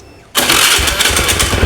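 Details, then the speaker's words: Honda Scoopy fuel-injected scooter after fitting a new spark plug: engine catches instantly from silence and runs up clean and even without stumbling; the no-start was caused by the weak old spark plug, now fixed. "oke teman-teman ternyata masalahnya ini dari busi busi guys pasang B"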